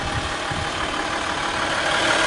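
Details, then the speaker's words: RAM 1500 Laramie Longhorn crew cab 4x4, 3.0L V6 EcoDiesel with 8-speed TorqueFlite, remote-started on low fuel: a quiet, steady idle with a soft, even clatter. Normal diesel idle, with no knocks or misses. "engine it's not very loud it's not like a normal diesel engine where it's like Extremely"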